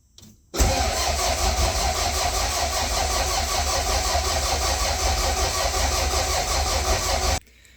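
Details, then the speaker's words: Toyota Celica GT-Four ST185 with 5SGTE Beams engine, cranking with crank sensor unplugged to check oil pressure: even but sluggish crank about seven seconds without firing; loose battery terminal, tightened afterwards. "pressure the motor was cranking over pretty slow so I checked the battery terminal and it was a bit loose I tightened it up so now it should crank over a bit faster"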